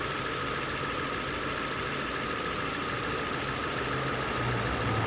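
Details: 2002 Nissan Sentra 1.8L being checked for P0300 and a rough idle, with coils 1–4 probed: steady, even idle hum. The coils show good firing lines, with cylinder 3 at about 1.5 ms spark duration; cylinder 3 differs slightly and may fail later.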